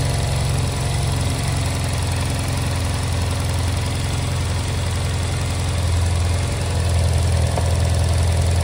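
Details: Honda Silver Wing twin-cylinder scooter after no-start fix with new spark plugs, during air/idle sync adjustment; low, steady putter with even beat and no misfire: normal idle.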